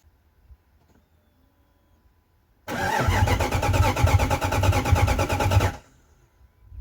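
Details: 1998 Jeep Grand Cherokee 5.9 Limited, sitting about five years and scavenged for parts, cranked after two gallons of gas were added (no fuel had been seen at the test point earlier): about three seconds of even, rapid cranking that never fires. Cranks, won't start.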